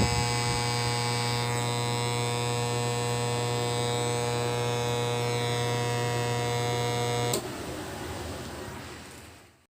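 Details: Kevler KR-310A powered speaker giving a steady low buzzing hum with stacked even tones, cutting off after about seven seconds: amplifier mains hum.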